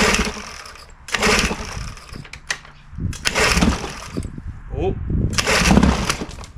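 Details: Old outboard on a cheap aluminum flip boat with the carburetor showing no overflow leak: the idle surges with small sneezing stumbles every couple of seconds, a lean mixture to be adjusted with the carb's low-speed screw.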